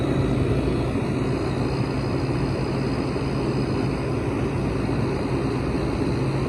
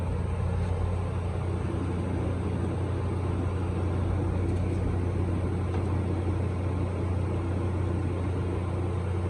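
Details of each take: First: Hampton Bay window air conditioner from 2004 with a Rotorex compressor and mechanical controls, building head pressure in a hot garage: loud, steady, even drone; running a little louder than normal. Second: Midea 5000 BTU window air conditioner from 2021 with a GMCC compressor and Welling fan motor, started on the lowest setting in a hot garage: steady, even low hum with no knocks, rattles or surges; compressor running normally.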